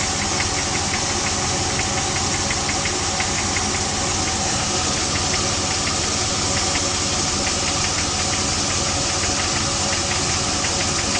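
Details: Jeep WJ 4.7L HO V8 at cold startup idle: fast, light, regular knock over the engine, piston slap said to be normal for the HO.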